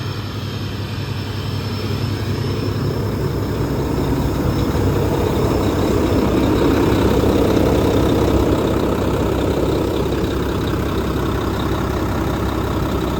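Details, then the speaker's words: Mack truck diesel idling with a deep, steady, even beat and no knocks or rattles after a long, difficult repair; good oil pressure, sounds good so far. Earlier the cups failed and filled the engine. "that sounds good so far got good oil pressure"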